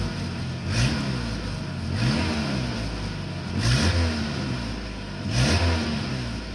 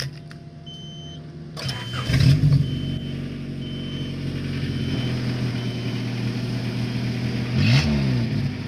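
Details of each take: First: Honda CRX four-cylinder idling with throttle blips after broken muffler reconnected with new pipe, resonator deleted; exhaust note deep and steady with no rasp or leak puffing, slight improvement: normal exhaust note. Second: Honda CRX, before exhaust repair with resonator being deleted: starts and revs with a deep, loud, boomy drone swelling with throttle from a muffler broken for months.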